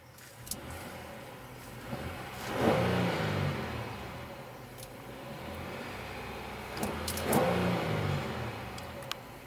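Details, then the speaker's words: 2017 Honda Pilot Elite AWD on regular unleaded, about 80°F outside, after the cooling fan stopped: a quiet, smooth V6 rises cleanly in two brief blips and settles back to a soft idle, with no knock or whine. Healthy engine. "Pretty nice."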